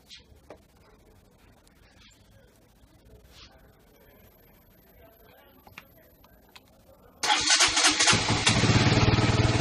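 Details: KTM Duke that turned on but would not start and showed false LCD errors from a low-charge or bad battery: seven seconds of near silence, then it fires at once and settles into a firm, even idle. Normal start and idle.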